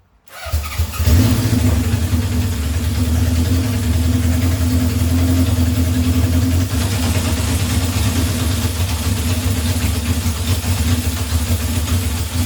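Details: 1978 Honda CB750 K8 four-cylinder, first start after ignition and carburetor work, booster on the battery and a temporary fuel supply: it catches and settles into a steady, even low drone with no knocks or misses, running healthy.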